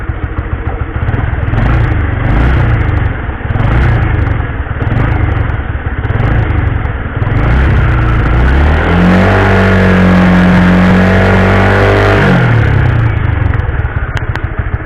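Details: Honda CB150R revved and held steady in gear after a cheap fix to stop chain noise; smooth rising engine note with no chain slap or clatter, chain runs quiet.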